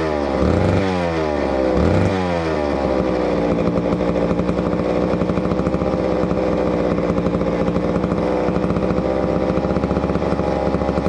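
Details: Neglected old McCulloch Super 250 two-stroke chainsaw revived: a couple of quick throttle blips, then a smooth, even buzzing run holding steady; purring along healthy.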